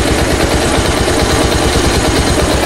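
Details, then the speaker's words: Pulsar double-disc motorcycle that previously died after starting, after fix (tight tappets suspected; secondary air valve pipe leak another cause): self-start, steady single-cylinder putter holding at 1000 rpm, no stumbling; normal idle. "এখন যদি সেলফটা দেই, এই যে দেখুন, এই যে দেখুন start হয়ে গেছে। 1000 আরপিএম এ, একদম কাটাটা একদম 1000 আরপিএম এ আছে। দেখুন স্লো আরপিএম স্টার্টে আছে।"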